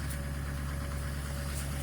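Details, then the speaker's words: Duramax LMM diesel truck cold start, normally 720 RPM idle, automatic cold-weather high idle around 4°: deep, steady diesel rumble at raised idle with even beat, no surging; normal high idle. "yeah normally it sits at about 720 RPM and now you can see it's up to you know about"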